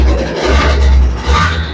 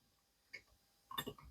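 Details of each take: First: Vespa LX 50cc two-stroke engine after overhaul with original crankshaft and cylinder, first start, still in cold-start phase: steady low burble idle, no rattling, runs nicely and normal. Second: Old Vespa 50cc (Piaggio) two-stroke crankshaft removed during engine rebuild, turned by hand; loose metallic clicks and rattles from play in worn-out bearings, unlike the new original crankshaft; worn crankshaft bearing play.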